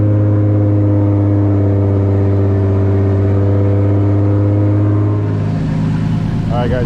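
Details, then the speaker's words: Toyota Supra just after a fuel system upgrade (triple pump hanger, relays, new fuel line) with about 40 psi fuel pressure: a smooth, even low idle holds steady with no miss or knock. Normal idle. "the car idling so far so good no"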